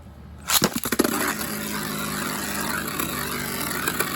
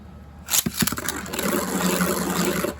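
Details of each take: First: Beyblade bearing drive setup with hybrid wheel, metal face light removed, spun on the side of the bearing drive tip during balance tuning: steady, slightly rough rattling buzz from imbalance after launch clacks. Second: Beyblade after balance tuning by flipping the tip orientation: sharp launch clack, then an even, steady whirr with no wobble or rattle; the most balanced spin.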